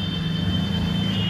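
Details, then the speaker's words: LG washing machine after gearbox replacement, belt refitted, filling with water: smooth, steady motor hum with a faint high whine and no knocking or grinding. The earlier loud noise, blamed on a gearbox damaged by overloading, is gone. "आवाज़ एकदम गायब हो चुकी है"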